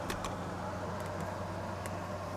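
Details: 6,000 BTU window AC on cool, fan low, set to 73: steady, even low hum with no rattles, surging or squeal; running quietly and normally.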